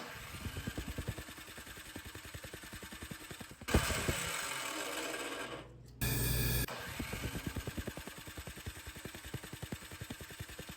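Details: Snow blower on electric start (pull cord broken), fuel line blocked, running only on carb cleaner sprayed in: slow even pull-over thumps about three per second, never fires; owner suspects timing or valves.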